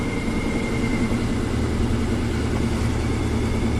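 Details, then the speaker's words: 1994 Ford Ranger 4.0 L V6, about 171,000–180,000 miles: loud rough loping idle, shaking as if a cylinder were dead; MAF reads 0.08, short-term trims near 60, possibly flooded or running very rich, cause unconfirmed. "it's shaking like crazy like it has a dead cylinder but it could be flooded"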